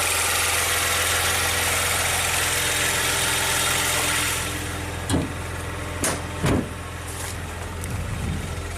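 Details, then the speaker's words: 2016 Maserati Ghibli twin turbo after timing chain replacement, engine covers off: a smooth, steady idle with an even low hum and a light buzz (suspected high-pressure fuel pump), a few handling clunks aside. It runs great. "And it runs great. Just like expected."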